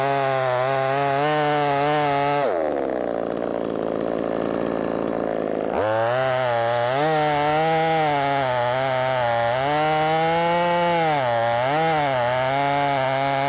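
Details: Brand-new, unbroken-in Wemars 6220 clone chainsaw on shakedown run: revs sit high and crisp, drop smoothly into the cut and snap back when free; loud, revs good; healthy chainsaw under load.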